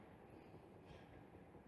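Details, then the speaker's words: Washer motor run directly on the bench for testing; unlike the worn-bearing motors tested, it gives only a steady, even low hum with no bearing grinding or rumble, a normal motor sound. "Veja só, tem só o barulho normal mesmo."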